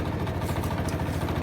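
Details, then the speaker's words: Central air conditioner outdoor unit runs constantly with a loud low throb and steady chopping, helicopter-like (Chinook) beat day and night; rhythmic whooping noise, cause not found. "that building right there in that air conditioner see that it makes a lot of noise and it sounds like a helicopter to me"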